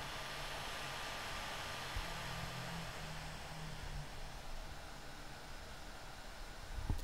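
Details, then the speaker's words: One Mix 2S Yoga mini laptop under Prime95 CPU load, microphone moved in front and backed by the user's head: steady airy rush with faint constant whine, no rattles or pulsing; fan running hard but healthy. "and now the microphone is actually backed by my head so this is what it sounds like more what it sounds like to me"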